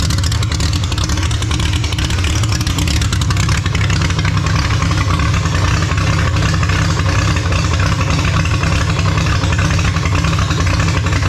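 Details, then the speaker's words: Holden grey motor in a HAMB dragster with triple Stromberg carbs being synchronised. Loud, loping, uneven idle rumble; the big cam overlap makes it dislike idling below about 1600 rpm, pumping raw fuel out the exhaust. "as you notice with this thing it's a real pig it doesn't really like idling um anything under sort of 1600 uh rpm um with the overlap on the cam it's just pumping raw fuel out the exhaust pretty much when it's sitting at idle"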